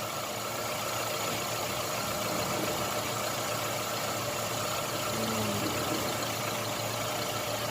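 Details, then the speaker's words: Chevrolet Optra at idle after replacing a faulty ignition coil and a rotted, broken lead; it had misfired, jerked while driving and needed long cranking. The idle is now quiet and even with no misses, so the engine is running properly. "देखा, बिल्कुल साइलेंट हो गया इंजन, मस्त हो गया गाड़ी।"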